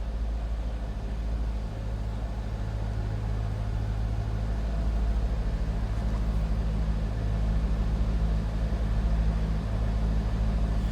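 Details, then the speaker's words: 2001 Chevrolet Corvette C5 convertible, 5.7 L LS1 V8 with 49,326 actual miles: deep, steady, smooth idle burble with no ticks, leaks or exhaust rasp. The engine and exhaust sound normal. "Sounds as you would expect. Nothing crazy over the top or exhaust."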